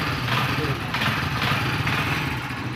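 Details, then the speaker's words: Honda CD 70 motorcycle after the spark plug was washed in petrol and refitted: the single-cylinder engine starts on the first kick and settles into a quick, even putter with no misfires. It is running normally. "ये देखें बिल्कुल पहली kick पे start हो गई है आपके सामने। ये देखें अब जो है पहली किक पे स्टार्ट हो गई है।"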